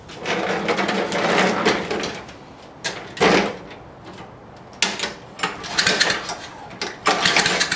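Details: Lawn mower no-start after sitting 10–15 minutes, muffler removed, choke closed: short cranking bursts with harsh pops between quiet gaps, never catches; owner first suspected carburetor, now suspects bad magneto/coil.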